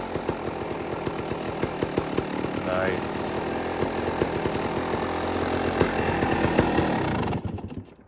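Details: Two-stroke dirt bike after repacking an empty Pro Circuit silencer and welding its broken joint: steady buzzy idle with even crackle, then cut off; runs normally with a tame exhaust.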